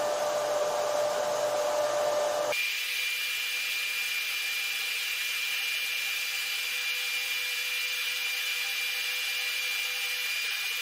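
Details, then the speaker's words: FLYING BEAR LaserMan laser engraver running an engraving job: smooth steady airy whir with faint high tone, no knocks or rubbing; the cooling fan that keeps the main cabinet electronics from overheating runs normally. "Machine के चलने के दौरान आपको पंखे की हल्की आवाज भी सुनाई दे सकती है। यह ध्वनि मुख्य कैबिनेट के अंदर इलेक्ट्रॉनिक सर्किट को गर्म होने से रोकने का काम करती है ।"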